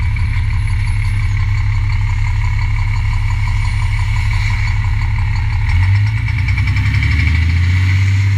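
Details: MCI D4000 motorcoach with Cummins diesel, not very old, idling: heavy deep diesel idle with a hard, uneven knock thudding through the low end, bad rod bearing knock.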